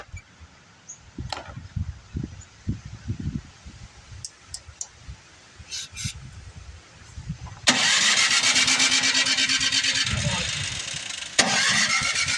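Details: Like-new Craftsman Briggs & Stratton snowblower, carburetor tuned last year, now won't start: after backfiring out the carburetor, the electric starter whirs steadily but the engine never fires. Valve problem suspected. Cranking, no start.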